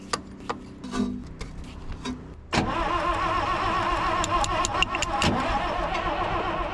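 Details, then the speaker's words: Cabover diesel truck (1993 inspection sticker), long parked, on 24-volt battery, injector lines cracked with fuel at two; clicks then loud steady cranking churn that never fires: cranks but does not start. "Trying to give the starter a break in between all this cranking."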